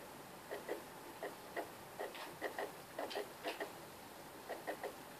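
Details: PS3 game console making irregular scratchy clicks, often in pairs, over a faint steady hiss.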